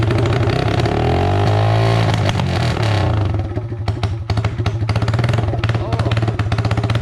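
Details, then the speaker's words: Yamaha TTR 225 dirt bike, freshly rebuilt, with the exhaust pipe just fitted; it only starts on choke and tends to die, though the carburetor is clean. It revs briefly, then drops to an uneven, stumbling idle with irregular firing: rough running. "well it runs but kind of crappy kinda is an understatement"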